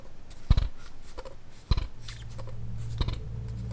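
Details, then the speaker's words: Viltrox 85mm F1.4 PRO lens gives three dull clunks about a second apart when moved with camera off or lens detached; unpowered focus group shifting, normal and silent once the camera is on. "One note though, when the camera is off or the lens is detached, the focus motors move within the lens and you will hear a clunking sound like this."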